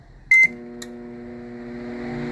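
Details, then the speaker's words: Electrolux MF41 31-litre microwave, opened for repair, running and heating: beeps, then a steady heavy hum with strong even tones building slightly; an oversized transformer droning far too loud, to be swapped for a smaller one. "Vou trocar agora o trampo para o menor e vocês vão ver que vai sair todo esse barulheira dele"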